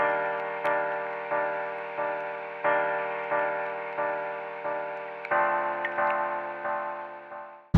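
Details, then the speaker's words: 2016 Subaru Crosstrek, driving, rear wiper on intermittent: sharp tick about every two-thirds of a second from the timer up near the steering wheel area over a quiet cabin; normal rear wiper timer relay ticking. "but when the rear windshield wipers on intermittent you can hear the ticking of the timer uh up in the sort of steering wheel area so if you're going to run the rear windshield wiper tick tick tick tick just turn on the radio"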